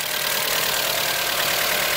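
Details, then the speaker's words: Mitsubishi Galant VR4 first start after long storage with dead 4-year-old battery, cold: loud idle with fast light ticking over hissy top end; owner hopes ticking goes away. "And I don't like that ticking sound. Hopefully it goes away soon."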